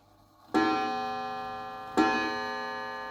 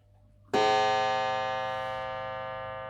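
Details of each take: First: Mantel clock before service, really dirty: five slow ringing strikes about 1.4 seconds apart, each fading out; strike sounds off, cause not yet found. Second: Mantel clock gong after checking the strike at the back: one clean strike with clear, even tone fading over about three seconds; now rings properly, normal.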